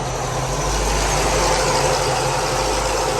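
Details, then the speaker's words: Car with new fabricated fan shroud fixing overheating, idling at about 175–180°F, PWM controller raising fan speed with temperature, not maxed: steady idle under strong even fan rush, no knocks or surging; normal idle with fans. "So the hotter the motor gets, the higher the fans turn on, or the more output the fan speed is. So the fan speed increases, which is the pulse width."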